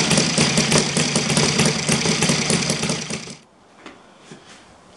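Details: Saito FG-60 R3 spark-ignition four-stroke at low idle, Hall sensor timing moved to less advanced: fast uneven clatter then cutting out, heavy vibration; owner suspects timing but finds no clear link between sensor position and vibration.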